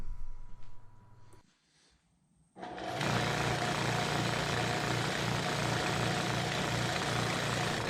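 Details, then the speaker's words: Torpedo heater with fuel nozzle ruled out by reconnecting the hose: motor spins up to a steady fan whir but no burner roar, heater does not fire; fault traced to the air pump rotor, which is then replaced. "didn't fire up so now I know it's the air pump"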